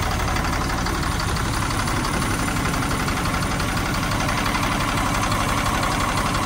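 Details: 1997 GMC 7500 bucket truck, Caterpillar 3116 diesel, cold start at 32°F without coolant: heavy clatter at cold idle, rough slightly uneven beat near three per second with light knock; owner puts it down to cold, cause unconfirmed; engine knock at idle.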